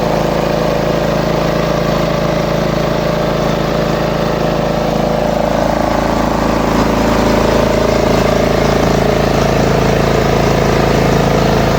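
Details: Small lawn mower engine after repair of RPM surging at idle, reassembled with filter back on: even steady drone with no rising and falling revs; healthy idle.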